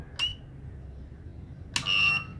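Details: Cheap inverter trying to start a 1/2 hp motor pump: two sharp high-pitched beeps over a quiet room, the second longer, as the inverter trips its overload alarm and the pump fails to start.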